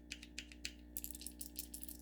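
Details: 1986 Realistic Portavision TV boombox (Model 16-109), Radio Shack power cord/adapter shaken: faint, quick clicks and ticks in irregular bunches from loose pieces rattling inside; loose internal parts.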